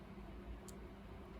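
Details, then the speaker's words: GRIPONE KartCross throttle servo motor at TPS 0%, pedal released, throttle butterflies fully closed: only a very faint steady low hum, as expected; a loud hum would mean the zero position needs correcting. "una cosa importante da verificare è posizione tps 0%, quindi pedale dell'acceleratore rilasciato le farfalle devono essere completamente chiuse e sentiamo Il ronzio del motore"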